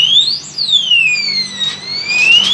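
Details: Honda CBR 150 R with newly installed Vinix remote anti-theft alarm, tested in locked mode: loud electronic siren sweeping up and down in pitch, rising quickly then falling slowly; alarm sounding.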